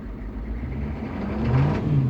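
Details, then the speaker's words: 1998 GM 6.5 diesel truck with touchy throttle and surging; aftermarket lift pump replaced about a year ago and confirmed pumping. At idle, a light throttle touch sends revs climbing and hanging up instead of dropping back. Cause not yet found. "when I say touchy throttle if I just touch the throttle the RPMs will jump up"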